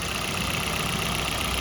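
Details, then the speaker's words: Maruti Suzuki Baleno in winter: after a cold start with high revs, rpm drops by itself as the engine warms, settling into a steady, quiet, even idle with a soft hiss and no grinding or knocking. "देखो देखो down होने लगे RPM देखो देखो अब आवाज सुनो देखो बिलकुल लो हो जाएगा बिलकुल साउंड भी आनी बंद हो जाएगी"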